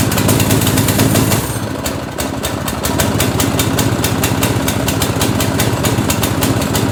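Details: Go-kart with chain drive, replacement single-cylinder engine swapped in after the original blew, first start: thumping settles into steady even beat after a throttle blip, no knocks or misses; engine runs healthy.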